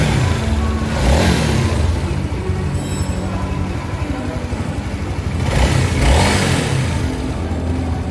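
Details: Honda CB150 motorcycle after a major engine overhaul for a severe rough-noise complaint, ECU scan showing sensors fine; two clean throttle blips rising and falling smoothly over background music, no knocking or rattle; healthy rebuilt engine.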